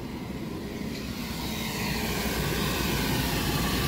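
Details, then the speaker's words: Tesla Model 3 being rebuilt. A cooling fan starts with a steady rushing whoosh and a faint pulsing flutter that grows slightly louder; the fan makes a bad sound. "that's new that sounded bad okay hey we've got got a fan makes a bad sound okay"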